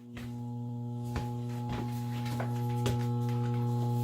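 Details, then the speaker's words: Furnace blower motor: steady low hum with a few knocks and no rise in speed, not starting even when nudged with a stick; stalled. "Okay, you hear her humming there, and I'm going to stick this stick in there, and it'll just right in that crack and just brush against that thing. No, it didn't go. Well, it's trying to go."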